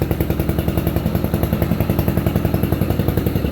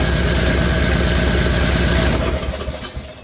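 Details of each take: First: Free roadside riding mower running after repair and repaint, puffing a little smoke the owner thinks is oil burning off. Steady, even low thumping at constant speed with no misses or knocks; runs well. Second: Free roadside riding mower, first crank on a new battery: quick, even starter chugging at about four beats a second that turns over with little resistance, then winds down; low compression suspected, not confirmed.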